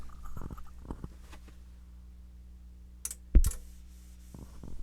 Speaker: did you hear that and that's actually was the power supply coming up through that 5 volts from the last video